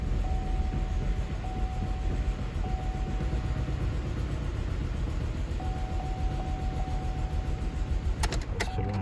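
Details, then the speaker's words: 2012 GMC Acadia that cranked without starting (ignition relay feedback circuit low voltage), after replacing a blown fuse: engine runs with an even, steady low rumble and no misses or knocks; normal start and idle. "ايوه اشتغلت السيارة تمام."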